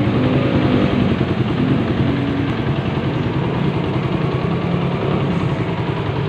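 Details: Suzuki Satria FU 150 single after engine teardown; smooth even note with steady firing at idle and revs, no knocks or rattles, healthy.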